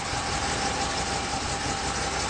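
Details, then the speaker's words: 1987 Chevy 305 TBI V8 truck, first firing on wood gas only, no gasoline, timing untouched: smooth, steady idle, even low rumble with no misses or knocks, pulling as the mix changes; runs cleanly on wood gas. "You can hear it pulling as you get as you change it. Oh, look at that. That's without playing with the timing. No. That's it. Running on wood gas only."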